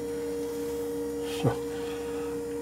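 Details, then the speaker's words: 1978 Jeep CJ7 EV conversion, finished after repair: the electric drive motor, found out of balance in earlier work, now balanced. Controller on, motor spins up nice and smooth with a steady, even hum and no wobble. "controller coming on nice and smooth now take a look at the earlier videos and you'll see that it was"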